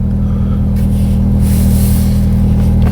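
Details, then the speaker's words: Mk1 Audi TT just after its fuel pump/sender rebuild with a used year-old 4-bar pump from a 225 TT, unstarted for two days and low on petrol: the pump kicks in, it starts first time and idles steadily with no misses or hunting. "you can hear the pump kick in um it's running first time and it hasn't been started in i think two days since we fitted the pump"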